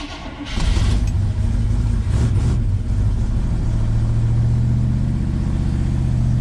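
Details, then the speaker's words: 1976 GMC C15 Squarebody V8, long-abandoned, after battery charger boost: short crank then a deep, steady rumble; normal start and idle, choke needs some adjustment. "Old Bad Chad running like a top. Just gotta play with the choke a little bit. Perfecto."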